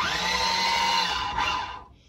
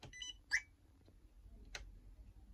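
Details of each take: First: Combat robot Air Maxx with both drive motors running on a 40A AliExpress dual-motor ESC: steady, even motor whine that holds its pitch, then winds down cleanly. Motors run normally and the ESC stays barely warm. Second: AliExpress 40A dual-motor ESC fitted in the combat robot Air Maxx, with both motors connected and the transmitter switched off: short high chirps and beeps from the motors between quiet gaps; ESC signal-loss warning beeps.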